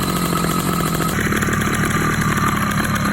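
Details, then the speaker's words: Motorized bicycle two-stroke on a wet clutch conversion, cover fitted but no fluid added yet, rubber clutch pads: fast buzzing with constant metallic clutch and gear clatter riding over it. Clutch and gear rattle. "all right so we're gonna go ahead and put the cover on it and see how much that helps the dampening noise"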